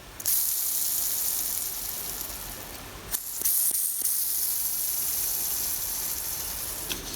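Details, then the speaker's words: Riedell 120 quad skate with Radar Energy 62mm wheel and Zenith Kwiki ABEC 9 bearing spun before oiling during one-year maintenance; thin rasping high-pitched hiss, rougher than the oiled one, dry unlubricated bearing. "Right, that's one with oil. This is the one without oil, ready? Oh, a bit of a cheek, so I oiled that one before. This one hasn't had any oil."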